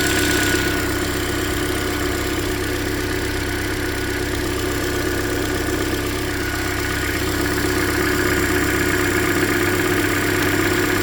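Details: 2013 Hyundai Elantra at about 100,992 km, near its yearly oil change: steady idle with a light, regular tick about four per second at cylinder 3, loudest via stethoscope on the middle third bolt; owner suspects something deeper than the lifters, possibly piston slap.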